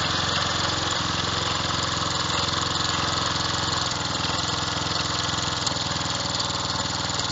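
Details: Revived old Snapper riding mower, 12.5 hp Briggs & Stratton single, after years sitting: steady, even putter at fast idle, no misses, knocks or surging; running normally.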